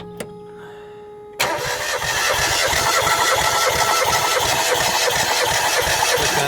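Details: Mazda MX-5 cranked for compression test, spark plugs out, ignition unplugged, injection fuse removed: after a click the starter spins the engine fast and evenly, no stumbles or drag; healthy crank, reading about 185-190 against 170 target.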